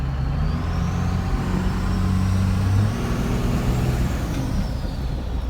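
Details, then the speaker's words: 12V Cummins diesel under way with a built turbo slightly bigger than an HX40 (HX35-based, T3) and pusher intake: deep diesel drone with a faint high whistle rising and falling; turbo spooling cleanly, normal. "frigging turbo sounds sick in person I don't know how good you guys gonna be able to hear it"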